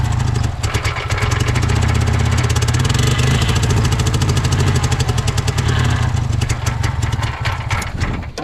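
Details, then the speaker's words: Honda Civic that sat about 10 years, restarted. Uneven, lumpy idle with stumbles that fades out, likely out of fuel. It is still misfiring on a cylinder; the owner suspects a stuck injector. "let's try firing this thing up hopefully it doesn't have a stuck injector causing that cylinder misfire"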